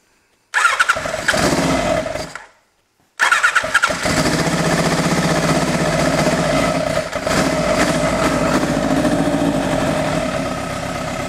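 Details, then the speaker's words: 1986 Kawasaki GPZ1000R four-cylinder, after part replacements: catches and runs with an uneven stumbling beat that never settles; exhaust temps 220/220/140 show one cylinder not firing, intermittent spark, a loose plug wire noted. "220 220 140 means that one cylinder is not firing right"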